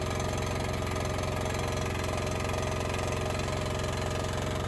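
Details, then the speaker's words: Honda EX1000 suitcase generator, load test: steady drone with low, slightly strained beat around 220 per minute; owner says definitely labouring, unit getting warm. Engine labouring under heavy load. "let's go out and look at it it's definitely laboring"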